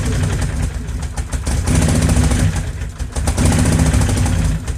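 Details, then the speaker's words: Can-Am Outlander 800 XTP with 5,200 miles, starting problem traced to a bad ignition switch. Engine catches, runs rough and lumpy a few seconds, then cuts out; won't stay running. Flooding from repeated fuel pump cycling suspected. "so it sounds like we might have a couple different problems here we got the uh starting problem figured out now the ignition works that was just a bad ignition switch however it's not wanting to stay running"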